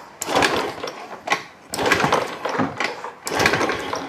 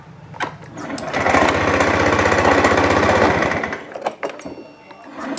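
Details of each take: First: Fuel-injected motorcycle brought in pushed, dead: three kick-start strokes about 1.5 s apart, each churning burst dying without catching; fuel present, still no start. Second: Fuel-injected scooter that arrived pushed in, dead, now fixed: a new spark plug did not help, but replacing the plug cap/coil did. Two short revs of the small single rise and fall cleanly with quick firing between. Normal running.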